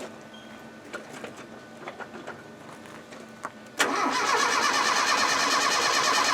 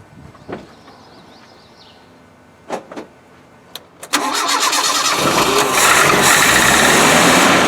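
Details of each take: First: Early Land Rover 90: the starter churns steadily at about three turns a second, but the engine never fires. Fuel is confirmed at the carburetor; no spark from old, dirty sliding-type ignition points. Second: Land Rover 90 (Defender) with old Weber carburettor, cranked with float bowls open after new fuel tank fitted, first start: a few clicks, then catches and settles into a steady even idle with no misses; normal idle.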